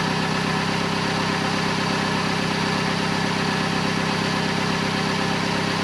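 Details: 2008 Vauxhall/Opel Corsa 1.2 petrol at idle after a new exhaust middle section up to the catalytic converter and the lambda sensor refitted. Steady, even idle with a smooth pulse and no blowing or rasp; much quieter, normal idle.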